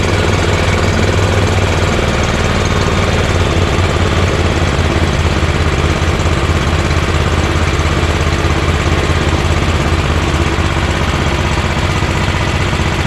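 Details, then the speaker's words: EZGO Workhorse golf cart with Honda GX340 single-cylinder: idle turned down low, deep steady thump with no misses or rattles, though still engaging the belt. Normal idle. "i'm gonna see how low i can get the item and that's pretty low idle you know that's pretty good idle idler very good actually but it's still engaging the belt"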